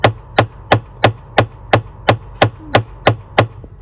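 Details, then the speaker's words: Tata Altroz AC blend door actuator motor, a repeat fault after an earlier glue repair, unit removed and shown: sharp, even clicks about three per second, steady and unchanging, as the actuator skips because the flap can't reach full travel. "इसीलिए यह cut-cut-cut-cut-cut-cut की आवाज करता है। इसे इस पर, इस पर घूमना चाहिए।"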